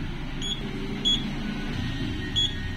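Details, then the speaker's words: ICA CT382B UPS that would not charge, after battery replacement, AC plug pulled: short high beeps at uneven gaps over low room hum as UPS runs on battery normally, beep indicator working. "Dan kali ini untuk steker saya cabut dan UPS sudah bisa bekerja dengan normal. Untuk indikator beep-nya terdengar."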